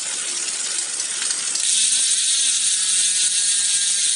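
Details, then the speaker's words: Road bike front derailleur chain rub: fast light metallic ticking and scraping as the cranks turn, chain brushing the FD cage; fixed by using the left shifter's half-step trim so the chain clears the derailleur. "Satu itu untuk naik, setengahnya itu untuk presisi rantai dengan FD agar tidak terjadi bunyi cetring-cetring seperti ini nih, Pak. Nah, seperti ini. Ini kan bunyi ya. Nah, ini kan bunyinya cetring-cetring."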